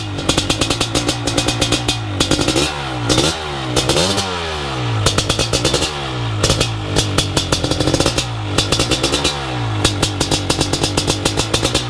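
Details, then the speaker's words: BRC 500 engine kit in a 2015 Husky TE 250 frame, 40 mm billet Smart Carb with TPS and Power CDI, first startup by kickstart with decompression release; fires and revs cleanly through throttle blips with crisp, even exhaust pulses; healthy. "so we're gonna call that the fire up video and we're looking good"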